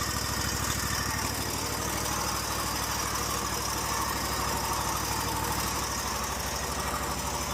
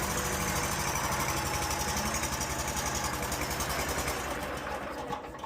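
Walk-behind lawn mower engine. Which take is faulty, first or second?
second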